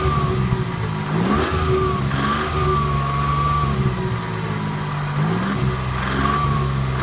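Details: 1991 Toyota Camry revving under load: dull knock in the running note; stethoscope finds more noise at the cylinder 2 bottom end than the top, suspected rod bearing, oil pan to come off.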